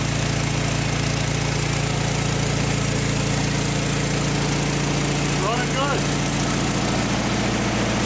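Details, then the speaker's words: 1956 VW Beetle barn-find flat-four engine (not original to the car), first run after 24 years sitting in a barn; even idle about three and a half beats a second, no knocks or rattles: normal healthy idle. "yeah so there you have it can't believe it fired right up after 24 years of sitting in a barn these Volkswagen engines are just bulletproof"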